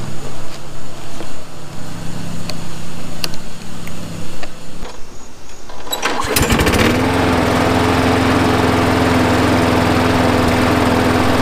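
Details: Craftsman 21" push mower, Briggs & Stratton 6.75, after carburetor cleaning and a new spark plug and air filter: sputters and lopes at first, then settles into a steady, smooth drone; owner says it runs better the longer it runs, after 20 minutes.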